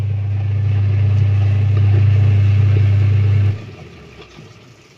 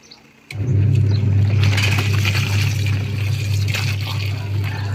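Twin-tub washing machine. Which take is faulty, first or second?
first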